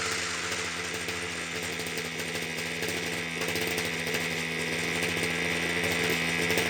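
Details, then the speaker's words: Titan hedge trimmer two-stroke, glued back together, warming up: steady high-pitched buzz smoothing out as it warms, improving the longer it runs; normal running. "seems to be getting better the longer it RS seems to be getting better the longer it RS which is what you would expect"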